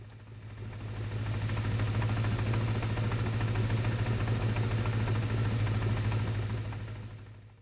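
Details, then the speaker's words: Honda CB550 four-cylinder idling during carburetor sync; as the carbs are balanced it runs smoother and idle rpm rises, a smooth even hum with a steady beat. "but also if you listen you can hear the engine is not only running smoother but the RPMs are going up so it's running more efficiently"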